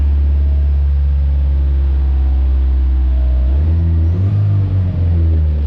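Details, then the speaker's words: 1986 Suzuki Samurai turbo diesel after draining old diesel, fresh fuel and new filter; deep slow idle holding steady, then a quick rev blip; idle slightly low, owner plans to turn up idle or fuel. "and it seems like it the idle's a little bit low so i need to turn the idle up or at least the fuel level up one or the other"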